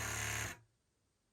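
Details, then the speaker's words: Precision Air Extra 260 with NXT70-HV servo in an iPAS setup, DX8 radio, on a small battery: one servo makes a harsh steady electrical buzz at rest, stopping and restarting; control surfaces still move fine and other servos are quiet. "now you can hear the noise being made by the servo nothing wrong there nothing's wrong with any of the other servos"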